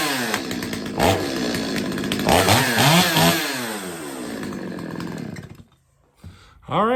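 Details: Stihl 025 two-stroke chainsaw after a carb tune-up and chain sharpening, test run with the bar and chain refitted and being oiled up: revs up crisply several times and drops back to a steady idle with clean throttle response; normal running.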